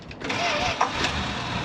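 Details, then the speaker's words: Retired ambulance barn find, after a new O-ring stopped a drip and one pump of the throttle: brief crank catches quickly and settles into an even, steady idle with no ticking; healthy start. "Fires right up. So sounds good. I'm not hearing any ticking or anything that sounds like I've got any issues with the motor. She idles good, runs good."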